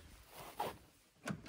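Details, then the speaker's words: Rover 220 coupé central locking being tested: soft, quiet thunks, one and then a quick cluster of three, as the lock actuators engage. The central locking works normally. "yes ça marche ça marche ça marche bien impeccable"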